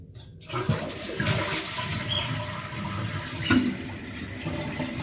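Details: Toilet after fix: clean, quiet flush settling into a soft, even refill with no hiss, squeal or hammering; flushing noise gone, fill valve sounds healthy.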